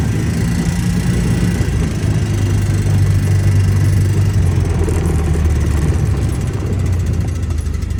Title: Ranger 700 clicking noise